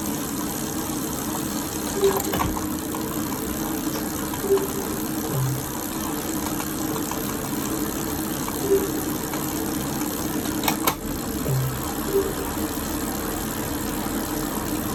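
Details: Elite Direto X trainer after 3 days of use: a steady hum with a distinct knock every two to three seconds. Knocking noise, cause unknown.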